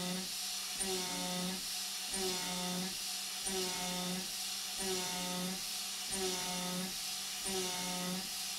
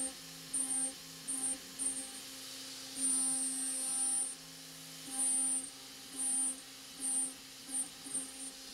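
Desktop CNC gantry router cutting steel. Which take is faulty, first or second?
second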